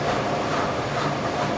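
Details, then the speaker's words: 2002 Kelvinator K605 washing machine, recently fixed, regular cycle with a normal load, 850 rpm spin: steady, even whoosh with no thumping or banging; drum balanced, normal quiet spin. "just listen to it it's really nice I can use this machine too noisy and it does a great job spinning so I think for the speed it's going it's actually really nice"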